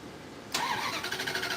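The starter kicks in suddenly and spins with a fast, even chug, but the engine never catches and starts. Cause suspected, not confirmed.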